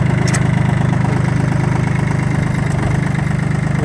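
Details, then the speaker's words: Kubota L1-18 three-cylinder mini tractor, moving forward: even diesel chug about three and a half beats a second, steady low rumble, no knocks or misses; normal running. "как вы видите дорогие друзья все работает все крутится вертится нажимается трактор едет вперед"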